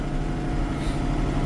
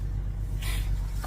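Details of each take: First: Case tractor with a 504 engine, started on a clear 30-degree morning after sitting, taking more than a revolution or two to fire: now idling steady and even with a smooth low chug and no knocks or misses; normal idle. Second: Tractor after sitting in 30-degree weather, no charger put on it: a single harder dry click from the starter with no cranking, another engine idling nearby; weak battery, starter clicks but won't crank.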